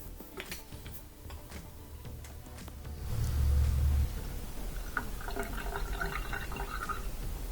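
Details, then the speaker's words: Dishwasher set to drain after removing a piece of glass stuck beside the drain pump impeller: low pump hum swells, then water gurgles steadily away; draining properly, normal drain pump operation. "There we go, so we can hear it draining properly now with the sink. So that's all it was, just a piece of glass stuck in there."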